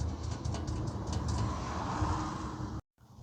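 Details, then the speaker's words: 2010 Toyota Corolla 1.8L, complaint of rattle at idle and on takeoff from a loose rear exhaust heat shield; after retightening the stud nut with a washer, steady low exhaust drone with no tinny rattle; fixed. "So that should be good now. It's no longer rattling. Heat shield is nice and secure."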